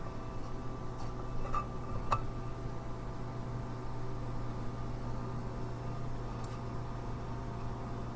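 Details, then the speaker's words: Small case fan for a DP50V2A power supply enclosure, bench-tested at about 200 mA with the mic close: low steady hum with even airflow hiss, no rattle or rubbing; quiet enough to run constantly, normal fan. "I think that's gonna be okay actually even if it's on all the time so that's good"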